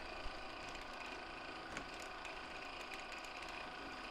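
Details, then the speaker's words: 1/6 scale Armortek Hetzer Jagdpanzer 38 tank, 24 V, first road test after re-tensioning rear track: even drive motor whirr with light irregular clicks from road wheels moving on their springs; tracks no longer binding. "this is so much better it's actually it's not binding anymore that noise you can hear is just this W this wheel going up and down on its on its spring"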